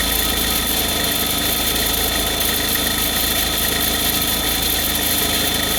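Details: Cold idle runs steady but a hissy, rattly high-pitched noise sits over the engine; abnormal noise at cold idle, cause unclear.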